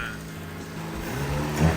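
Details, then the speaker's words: Nissan Micra K11 with a swapped-in replacement engine on its genuine first start: a low rumble rises smoothly as the throttle is blipped, with no knock or rattle, and it revs cleanly and sounds good. "she sounds good I think so that was that was genuinely the first the first crank camera"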